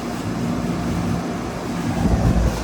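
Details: 2003 Carrier 38CKC 3-ton AC condenser with Bristol reciprocating compressor and 3-blade 18-inch galvanized Revcor fan: steady low hum of compressor and fan with wind rumble, even running; suction line cold and sweaty, liquid line hot, unit working properly.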